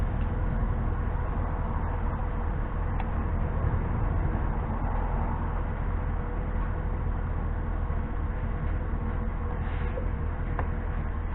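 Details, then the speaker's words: Ford Crown Victoria P71 after a P0305 cylinder 5 misfire was fixed by swapping in a used coil pack and clearing the code. A steady, even V8 idle with no stumbles or missed beats shows the engine is running smoothly. "all right everything seems to be idling okay but just make sure we don't have anything wrong with the"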